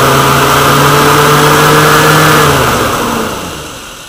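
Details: Woodgas-fuelled truck with the mixer valve worked by hand rather than the servo that let it lean out and stall: steady mid-speed drone, then revs sag and die away as the valve is let go.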